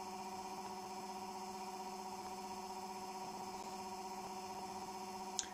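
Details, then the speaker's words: Homemade generator with nanocrystalline cores, spinning off load: a steady buzzing hum with a pulsing beat about twice a second. The owner attributes it to the magnetic field resonating with the core material, a harmonic that locks the RPM. "that noise is the magnetic field resonating with the core materials. It creates this, it's weird actually, it does this at different various speeds. It seems to have a harmonic with the core material,"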